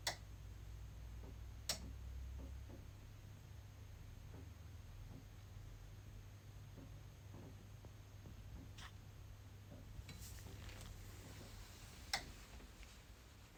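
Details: EcoFlow Delta Pro power station at low solar output in early morning or evening: sharp isolated clicks a few seconds apart over a low hum as the input relay keeps connecting and dropping out, repeating for over 30 minutes.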